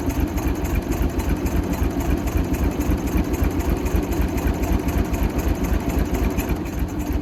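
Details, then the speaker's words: Michigan 35A wheel loader, Continental six-cylinder gas engine, sat for years, fuel primed from above: a low, loping, uneven idle. A mild compression check on the back three cylinders found only one good; stuck valves are suspected. "we'll had it running but didn't want to take off and go definitely think it's got a few stuck valves we did a mild compression check on the back three cylinders are the ones we can get the plugs out on and only one seemed to really have good compression"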